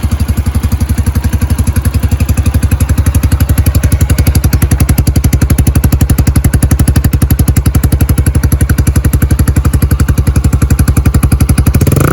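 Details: Yamaha YBR 125 single-cylinder started cold after a replacement secondhand electric-start part was fitted; steady, even thump at about four beats a second, no knocks or rattles; idling healthily, running spot on.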